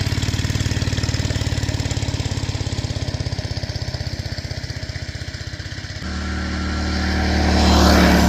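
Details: Old BRS F1 265E go-kart single-cylinder engine, run with no air filter after priming: even thump about three to four beats a second, smoothing out and picking up speed; normal running shortly before it later went "chunk" and shut down.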